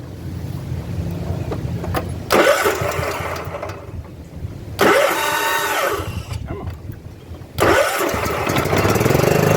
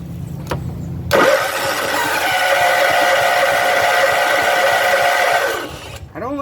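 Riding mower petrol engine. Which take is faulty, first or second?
second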